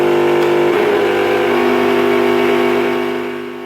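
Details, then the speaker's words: Mixer grinder over 15 years old with slow rotation, burning smell: loud steady hum, motor barely turning, dies after three seconds as built-in breaker trips; faulty motor rotor. "Look, it's working with the hum, but for very short time the breaker is blown."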